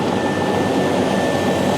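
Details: Lanair waste oil heater: steady loud rushing hiss with a thin whistle, air blowing through the pump because the oil barrel feeding the 250-gallon storage tank has run dry.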